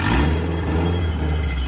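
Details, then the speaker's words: Newly turbocharged Mazda Miata (CX Racing turbo kit, small turbo, 2-inch exhaust) revving: deep, muffled, even exhaust rumble swelling smoothly with throttle, no knock, rattle or flutter; healthy turbo engine. "Okay, now I wanna hear it, because this thing sounds dope, dude."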